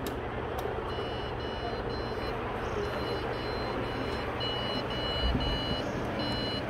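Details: Old PC at startup: repeated high-pitched beeps in steady bursts roughly every second over a low hum; a POST beep error, and the speaker mentions a motherboard component problem.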